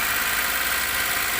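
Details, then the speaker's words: VW Polo 1.2 petrol idling before a full engine overhaul: loud steady rushing hiss of gas over the idle, with oil pushed out at the dipstick; excessive crankcase blow-by. "Back compressor तुमको दिखाते हैं, start करते हैं। ये कितना back compressor है, ये कितना ऑयल आ रहा है, ऑयल गेज में वो कितना ऑयल आ रहा है, इतना बैक कंप्रेसर है इसमें।"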